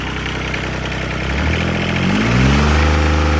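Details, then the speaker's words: 1986 John Deere 330 diesel garden tractor idling: a light, sharp nailing rattle on each firing stroke that continues as revs climb; owner suspects slightly advanced timing, unconfirmed. "It's kind of got a little bit of a nailing sound. still think the timing could be slightly advanced"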